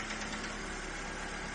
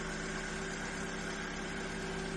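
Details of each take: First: Ford Fiesta first start after oil change, oil level mid-dipstick: light fast tapping over quiet idle just after start-up, lifters clattering briefly until fresh oil circulates to the top end. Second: Ford Fiesta, first start after oil change, initial tapping from oil circulating gone: smooth even idle with a steady hum, no tapping or knocking left; engine sounds healthy.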